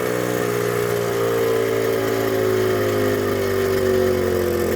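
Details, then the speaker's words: 1979 Suzuki JR50 two-stroke minibike, float set to 25 mm spec, carb jets cleaned: revs sag slowly back toward idle over several seconds and it struggles to idle; classic carb air leak, air mixture adjustment had no effect. "Classic air leak. right there. I don't think this carburetor is ever going to work right. So, now she's struggling to idle."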